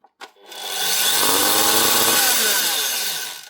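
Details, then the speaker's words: Makita SP6000 corded plunge saw (2015, about 10 years old) before repair: harsh hissy motor whine spinning up and down with sparking and rough clicking from a burnt-out armature with a blown commutator segment. "but also from that clicking noise whenever she's spinning. You can hear there's a segment blown out of it. So the motor's gone, more specifically the armature, but the field is hopefully still okay."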